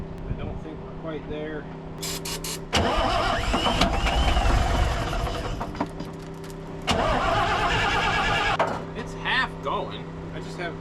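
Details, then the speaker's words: Long-parked cabover diesel truck, intake removed, starting fluid used, injectors being bled, owner suspects two injectors not firing; hesitant start with uneven lumpy firing that surges and sags like missing cylinders: rough running diesel. "I have two injectors I don't I just don't think are shooting. But sometimes you just got to get the thing running and everything warmed up and and moving and fuel flowing in it and then it'll, you know, they'll pick up."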